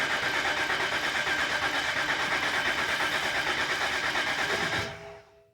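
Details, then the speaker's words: 2011 BMW X3 with N52 engine, towed in with crank-no-start and engine malfunction message: steady cranking whir about five seconds with slight attempts to fire, occasional hiccup, but never catches; cranks, no start. "It does sound like it tries to start, and it does give some attempt, but I'll let you hear."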